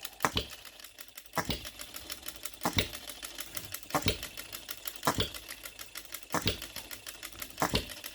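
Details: OKMO Retrol B02 miniature petrol hit-and-miss engine, very first start, straight out of the box with no adjustments, fuelled with shellite: sharp single bangs about every second with quiet coasting ticks between, evenly spaced; runs steadily as it should.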